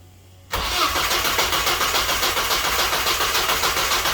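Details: Saturn S-Series with rear-mount turbo, first start: engine catches and settles into a fast, hissy idle that never drops, running too high like a vacuum leak, with fuel smell from an untightened fuel line.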